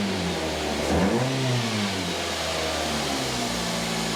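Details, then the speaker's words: 2010 Mazda 2 1.5 petrol after spark plug change: engine catches quickly, takes a light throttle blip and settles to steady, even idle with no misfire; normal start and idle. "all sounds good to me."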